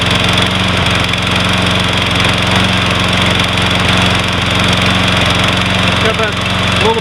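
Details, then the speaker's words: Troy-Bilt 21-inch 675 Series Briggs & Stratton mower, unused for months, hard starting, oil overfilled, surging as if fuel-starved, before carburetor cleaning: uneven, stumbling beat, missing and running rough. Misfire. "I mean, it's a great looking lawn mower in really great shape. Just seem to have a miss in it and just run really [Music] rough."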